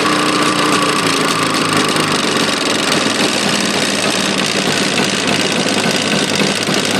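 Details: Jawa two-stroke motorcycle engine running: loud, busy rattle with a hard, rapid tapping; engine knock present, source not pinned down.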